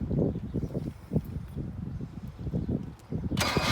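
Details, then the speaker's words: 1978 Datsun 1500 Ute GN620, unused 20 years, cranked on a battery booster: the starter spins the engine with an even chugging rhythm and no binding. The engine turns over freely and is not seized. "Oh well, so she's definitely not seized. That's enough. She's not seized. Turns over."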